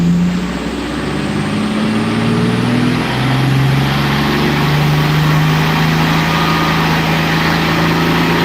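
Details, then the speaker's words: Tuned car on dyno day: engine runs loud and fast, hanging high and hard to slow down after a tuning change; too much ignition advance, so the E table had to be raised; high idle. "i had so much ignition i had to raise the e table"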